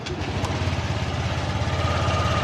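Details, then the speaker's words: Honda Click 125 v3 scooter with 4575 on the odometer, idling in the shop: rapid hollow knock on each firing beat, not yet very loud, sometimes disappears; piston slap suspected. "natin mga an kung maririnig niyo meron siyang kalantog or engine noise dito sa motor na to ay hindi pa naman gaanong kalakasan minsan nawawala minsan"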